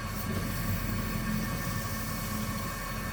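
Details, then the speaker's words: 20-inch Delta Rockwell 28-350 wood bandsaw converted to metal cutting with a 10:1 worm gear and VFD-driven motor, motor sounding grindy at low speed; steady hum under cutting load with a rough rumble and thin whine: drive belt slipping. "And here's the test. Oh yeah, tons of torque. Oh, that's the belt slipping."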